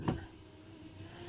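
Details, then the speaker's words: 1989 Lincoln Town Car Signature Series power window: dull thump as the motor starts, low hum while running, then a knock at the end; the regulator cam is dry and needs grease. "that means it needs greased on that Cam"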